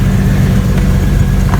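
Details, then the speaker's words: 1999 Jeep Cherokee XJ 4.0L inline-six, after being hard to start with a slow weak starter: fired once the starter was tapped, then smooth deep idle with steady firing and no knocks; starter diagnosed as bad. "okay it started up so that's telling me that's a bad starter just tapping on it like i did got it to fire right"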